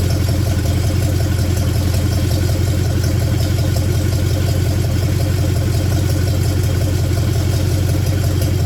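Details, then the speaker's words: 1966 Buick Special with a 350 V8 at first start-up: a deep, even rumble with a steady low lope and no knocks, idling down well, with only slight gas-smelling smoke; normal idle. "but uh looks like it idles good it idled down good"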